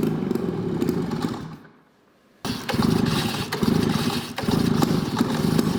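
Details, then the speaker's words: Snowmobile: engine note, a brief drop to near silence, then it catches and settles into a steady popping two-stroke idle with light blips. "so yeah the Indy 500 is running good it's all tuned up ready to ride"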